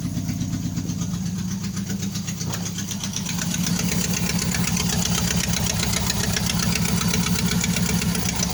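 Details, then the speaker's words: 1988 Nissan Sentra E16i after a new injector was fitted, previously stalling when the gas was released, owner suspecting the throttle position sensor or low fuel; steady, even idle around four beats a second with a slight lift in speed, no misses or knocks; normal idle. "Very smooth, it's running."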